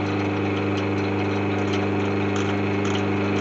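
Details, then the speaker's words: Myford ML8 lathe motor running after restoration and oiling: steady hum with a light uneven clanking rattle from a loose bearing cover, to be lived with for now. "clanking rattling noise there that's that bearing cover that's what i'm gonna have to live with from that for the time being"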